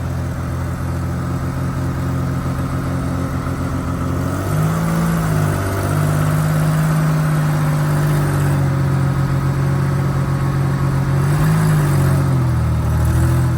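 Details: Rover SD1 2600R straight-six, driven after the prop shaft was reattached to the gearbox during clutch work: smooth, even engine with a clean rise in pitch pulling away and no slipping, chatter or grinding; driveline healthy.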